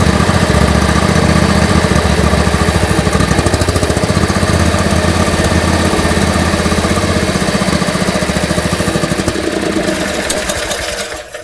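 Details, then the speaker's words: John Deere riding mower being winterized, fuel shutoff valve closed after stabilizer run: loud, lumpy single-cylinder chug gradually slows and fades as fuel clears the lines and engine dies; fuel starvation. "You can hear that engine start to slow. Fuel has almost cleared the lines here."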